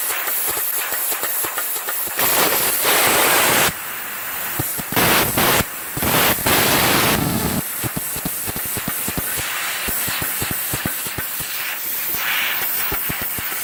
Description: CUT50 seems to arc and melt metal and consumables rather than cut cleanly.